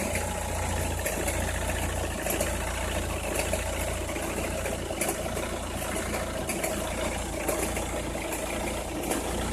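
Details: Opel Meriva, cold engine at idle: scattered sharp crackles about once a second over an even idle, only when cold or at very low revs, stops once warm; noise localised to one side, cause unknown.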